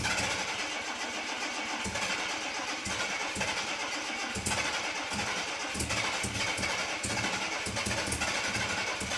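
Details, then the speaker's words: 1984 Jaguar XJ6 Series III after head gasket replacement: a short crank, then a clean catch into an even idle with a hissy exhaust note, no misfires; an exhaust leak is expected from the cracked, modified downpipe. "so there you have it engine runs and starts it runs pretty good actually we don't have any misfires"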